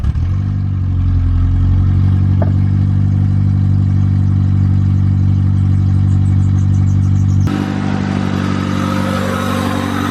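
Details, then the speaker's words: EG8 first start after the build on a snowy day, with the idle air control valve cleaned to cure an earlier idle issue: steady, even idle that revs cleanly past 2K and settles back with no miss or knock. Sounds healthy; thermostat change still planned. "Pretty sure that was past the 2K, so I think we're good now. She just sounds so healthy, like it sounds really good."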